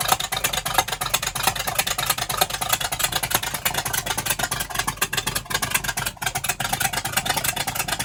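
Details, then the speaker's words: Sports Coach RV with a 454 big-block V8 that sat 12 years: an uneven, stumbling, lopey idle. It is suspected the fuel pump is pushing fuel past the carb needle and seat, flooding it. "It's coming back here, but there it goes. >> It sounds like it's got cam."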